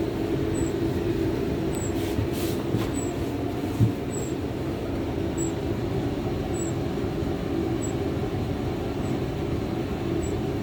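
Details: Hotpoint TL51 tumble dryer: steady drum rumble with a faint, high chirping squeak repeating about every 1.2 seconds.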